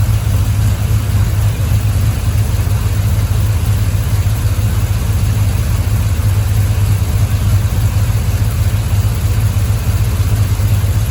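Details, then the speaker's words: 1951 Buick turbo LS V8 idling with PCM-controlled Ford electric radiator fan running (30 A breaker, 80 A relay): even rushing fan noise, no rattles or knocks; fan cools 5 degrees fast, normal operation. "I'll let it turn on one more time. You see how fast it drops that 5 degrees. These Ford fans really do move air."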